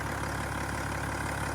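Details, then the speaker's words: BMW-engined automatic Land Rover Defender 110 conversion idling: low, steady, even hum with no knocks, ticks or lope, only a faint turbo whistle; smooth, healthy idle. "these engines are so nicely balanced whisper smooth and quiet it doesn't even look like it's running"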